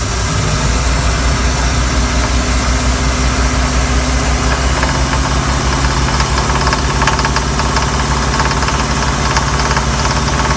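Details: Mercruiser 5.7 V8 boat engine pulling a water skier: a loud, uneven, heavy knock under load within the low rumble, though it was smooth at idle. Owner later found and fixed the cause himself; the cause is not stated. Engine knocking under load.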